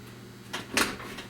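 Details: A crisp single click as the latch catches cleanly, then quiet: the car door, freshly rehung after bodywork, latches properly, though a popping hinge needs greasing.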